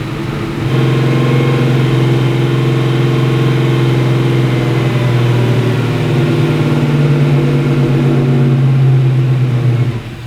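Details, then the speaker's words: Sandman panel van V8 at clean idle: deep, steady burble with an even beat and no misses or ticks. This follows the fix of ignition leads fitted in the wrong firing order, which had stopped it firing for two days. "So, what was the problem? The firing order was way out of whack. Turns out when I put these ignition leads on, I did not get them in the right order at all."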